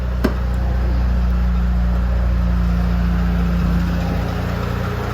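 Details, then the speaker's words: 2005 Honda Jazz at idle, AC recharged after low refrigerant kept the compressor and fan off: steady low engine hum with even unbroken drone as AC cycles on and fan runs; normal operation. "Now you can hear it coming on and off now. If I switch that off, switch it on, and it's coming on, and the fan is coming on."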